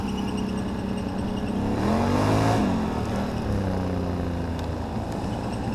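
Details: 2009 Can-Am Renegade: odd whirring drone rising and falling with revs, first suspected a CV shaft but seems to come from the CVT housing; fine a week earlier, temperature dropped 20 degrees since; cause unknown.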